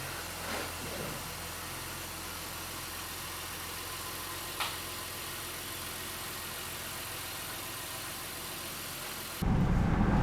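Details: 2016 Honda Pilot after fuel injector replacement for code P219B (bank 2 air-fuel ratio imbalance): low, steady idle hum with even firing, no misses or roughness, a couple of faint clicks; runs smoothly, repair fixed it.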